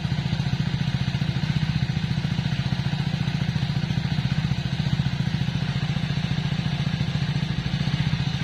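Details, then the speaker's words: 2021 Hero Splendor+ BS6, morning cold idle heard at the silencer: steady, even low thump with no misses or knocks. "अब आप silencer की आवाज सुनो य देखो इसम से भी द आ रहा है ना थोड़ा थोड़ा व इसी वजह से आ रहा है सुबह पहले का टाइम इस वजह"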